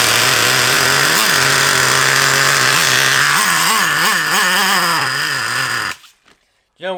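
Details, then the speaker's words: Traxxas Revo 3.3 nitro RC car engine whose owner turned the needle screws, leaning it out too much: high-pitched scream with revs hunting up and down, then abrupt cut-out; lean running. "he's done don't ya he said to me now he's messed around with the screws to try and get him to run but I know what exactly what he's done is he's lamed him out too much"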